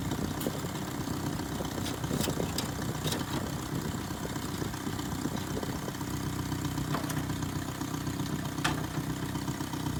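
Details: 1978 Datsun 1500 Ute GN620, 20 years stored, new carburettor, warming up before first drive: fairly even low idle, soft steady pulse with a few light ticks, sounds healthy; normal warm-up idle.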